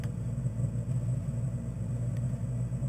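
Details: Diesel heater in a 1977 VW Bus Riviera camper, fed from its own small diesel tank, kicking in and warming up: even low rumble with a steady throb, no knocks or rattles; burning normally.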